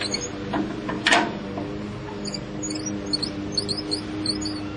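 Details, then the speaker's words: Farmall Cub tractor magneto static timing at number one top dead center, engine turned slowly by hand crank: a single crisp snap as the timing mark passes; impulse coupling trips on time, timing correct. "around this time when we crank we should hear a snap halfway across and then when this lines back up again we should hear another snap"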